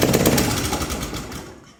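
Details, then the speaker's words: Honda GCV160 engine on a Pubert wheeled brush cutter with blade engaged, lacking power and stalling under load: fast loud metallic valve-train clatter that fades as it winds down; caused by a broken exhaust valve rocker arm. "en vídeo no se aprecia bien, pero en directo ya os digo yo que suena muy raro. No suena como suena un motor habitualmente de estos, que es un motor muy común."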